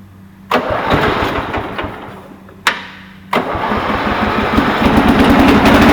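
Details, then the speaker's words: Cub Cadet 482 garden tractor (82 series) with a replacement 11 hp Briggs & Stratton engine, original having failed; two short cranking bursts, then it catches and settles into an even steady beat, no misses or knocks: normal start and idle. "All right, now I've told a little bit of facts about the engine. I'm just going to go ahead and start it up and let you guys hear it run."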